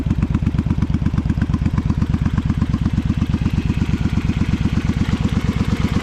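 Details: Honda V-twin Magna 250 (MC29), 17,810 km, with drag pipes: loud, deep, even loping idle through open pipes, a steady beat with no knocking or rattles; normal idle, engine healthy.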